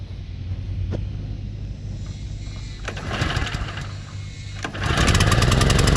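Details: Toro Turfmaster mower running with blades engaged: rough knocking from the deck about four times a second; blades checked fine, idler or belt suspected; typical of a stretched, slapping deck belt.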